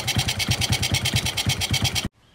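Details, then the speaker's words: Suzuki Smash 4-stroke motorcycle after the too-tight valve clearance was loosened to fix hard starting: quick, evenly spaced thumps at idle with no tapping or stumbling, though the valves are due for replacement and this is a temporary fix. "nah jadi ini bisa stasioner atau bisa langkang untuk hidupnya juga Gampang sekali engkol dia enggak perlu buka enggak perlu tutup karbu ya untuk menghidupkannya"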